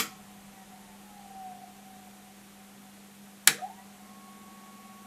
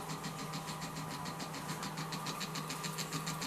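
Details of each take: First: Vintage Leevers Rich Series C location reel-to-reel tape recorder, case closed: steady low hum with a faint higher whine and one click from the rotary converter running normally, after a DC converter possibly revived its capacitors. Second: Early Leevers Rich Series C location reel-to-reel tape recorder on its transistorized power pack, rotary converter not working: steady low buzz with thin whine pulsing about three times a second; DC-DC converter struggling, suspected heavy drag on the circuit; no sound output or oscillator.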